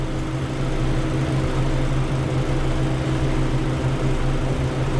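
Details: Walk-in freezer, 208V single-phase evaporator coil with electric defrost, after replacing bad temperature controller that shut unit off too early: steady low hum with even fan rush, no rattles or cycling; normal running.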